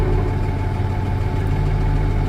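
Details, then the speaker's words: Case 504 diesel tractor engine after a cold start needing a couple of revolutions: steady, even low rumble with smooth unchanging beat, no knocks or misses; healthy idle. "They got as much or more torque than a John Deere, but these girls start. And yeah, it took it more than a revolution or 2, but she's running."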